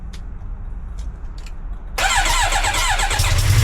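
Cold start after a couple of quiet clicks, then a rough idle with a fast, steady tick riding on it: a leaking exhaust joint.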